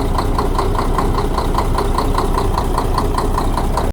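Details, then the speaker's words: Diesel with knocking, injector lines to the pump loosened one at a time: sharp, even knock about two and a half per second over steady idle; knock vanishes when the number one cylinder injector line is loosened; injector or pump suspected. "откручиваем форсунки ничего не меняется и вот последние уже откручиваем и пропадает стук"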